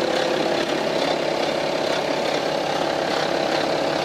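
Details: 2011 BMW F25 X3 30d, 3.0 diesel, 168,749 km, idling, recorder held near the engine: fast, uneven periodic metallic chatter at about two beats per second, louder toward the rear; diagnosed as stretched timing chain.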